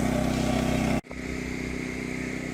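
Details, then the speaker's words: Even buzzing engine pulse settling to steady, slightly high idle, eco mode off, on a new Champion 200961 2500 W dual-fuel inverter generator running on propane after choke start; normal. "So, apparently this eco mode light button is a button, and you can force it into not eco mode, so it is idle right now. Sounds a little high to me, but that sounds like normal operation after I listen to it for a little bit and I hit this button."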